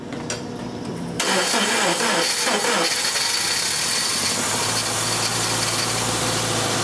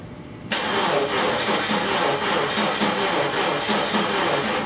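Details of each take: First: 1999 Subaru Impreza after a no-start, weak battery on a charger in start mode, possibly hydrolocked: cranks, catches with a few rough pops through the intake, then settles to a steady idle. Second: 1999 Subaru Impreza: starter cranks steadily about three turns a second with no firing; crank-no-start, ignition coils firing with key on and injectors possibly firing too.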